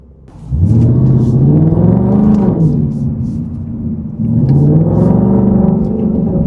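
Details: In-car acceleration, strong pulls in third gear, Whipple Stage 3 supercharged Super Snake with new carbon fiber intake and larger filter boxes: deep engine note climbing with faint rising supercharger whine, more audible inside; normal, healthy.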